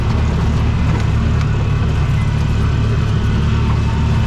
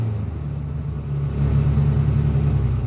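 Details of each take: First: Bobcat 3400XL (rebadged Polaris Ranger 500), single-cylinder fuel-injected 500, after rigging a replacement fuel pump giving 40 psi fuel pressure: steady deep drone held at full throttle, no stumbles or surging; normal full-throttle running. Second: Bobcat 3400XL (rebadged Polaris Ranger 500, circa 2010-13), single-cylinder fuel-injected 500: revs fine to three-quarter pedal, but at full throttle the thump falters and decelerates; bogging from weak fuel pump.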